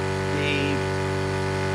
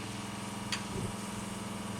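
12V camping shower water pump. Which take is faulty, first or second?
first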